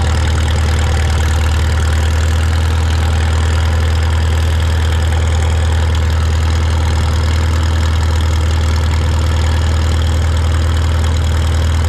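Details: Shop tractor, either the John Deere 4020 or the Farmall Super M, just started with choke and throttle levers and driven outside. It makes a deep, even low thrum with steady firing and no misses or knocks. Normal, healthy idle.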